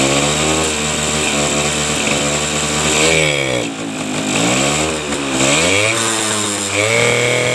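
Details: Suzuki RC two-stroke, previously hard to start with weak spark, running after ignition wiring checked, started without key switch connected: buzzy, revs freely with crisp throttle response and an even note; running fine.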